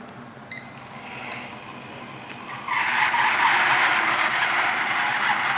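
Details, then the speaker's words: Miele RX1 Scout robot vacuum after board and brush motor replacement for F4 error, new squeegee fitted: after a quiet start, a steady scraping hiss as it drives off; normal fresh squeegee drag. "You can hear the new squeegee. We're going to do a quick run"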